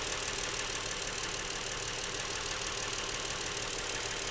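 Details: Brand-new Lincoln MKX, 7,000 miles, at idle: faint regular light knock about three per second, seemingly from the back of the engine, present since new and getting worse; dealer could not hear it, Lincoln calls it normal.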